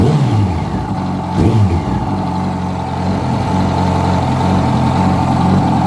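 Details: 2006 Yamaha R1 revving and holding, with a dull knock under the exhaust that follows engine speed; a new updated cam chain tensioner made no difference, and the noise was found to be the #4 rod bearing.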